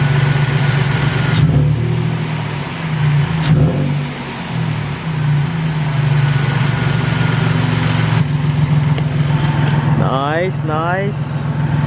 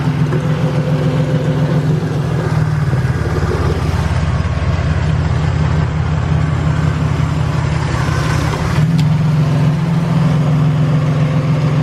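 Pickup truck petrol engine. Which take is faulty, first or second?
second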